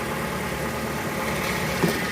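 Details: Fiat Uno Way petrol engine idling with a busy mechanical clatter, also heard cold, with the oil light flickering and low pressure on a gauge; oil level checked, oil pump suspected.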